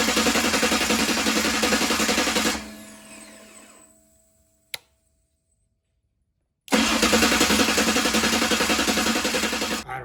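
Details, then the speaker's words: Ford 351 Cleveland stroked to 409ci, 769hp, on an engine run stand with no bellhousing. The starter ground on a bracket mount, and a spacer was then added. It now cranks evenly at about 3.5 turns per second with no grinding or catching: normal starter cranking. "It now turns over without catching anything, so let's just see what happens when we turn it over."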